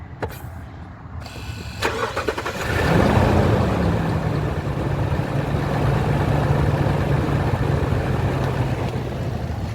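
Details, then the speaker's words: 2017 Lexus LX during a pre-purchase inspection, start then idle with the clutch fan quieting down; a light squeak comes and goes, suspected to be a pulley. "There is a little bit of a pulley squeak here and there. I don't know if you heard it on the initial startup. It kind of comes and goes."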